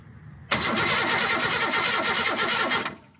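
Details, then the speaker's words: Car sitting almost 20 years, spark checked with plug grounded while cranking, ignition switch found faulty: starter turns it over evenly, about three beats a second, for two seconds without catching; no spark. "Nope, no spark."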